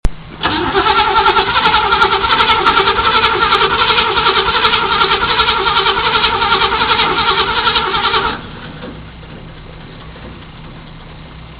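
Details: 1978 Chevy Camaro, factory stock, known hard starter: long steady starter churn at about two and a half strokes a second for eight seconds without catching; heavy smoke once running. Cause not confirmed.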